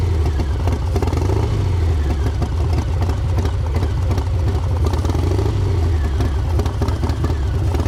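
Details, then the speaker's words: V-twin with a newly installed S&S 55mm intake manifold: a loud, lumpy run with a hollow sucking rush over the exhaust on throttle. The owner wonders whether the intake is loose or leaking air, or is simply noisy. "so you can hear it as soon as I give it a little bit of throttle it starts to suck right there so I don't know maybe it's just the uh maybe it's just the intake cuz I could definitely hear it start to suck in there"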